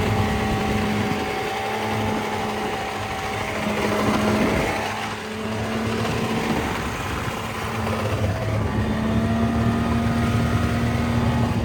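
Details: 2000 Yamaha VMAX Deluxe 700 two-stroke triple snowmobile, 11,000 miles, tach not working: buzzy drone with rough rhythmic slap about four times a second; track is shot and missing a chunk, but owner doubts that is the noise heard.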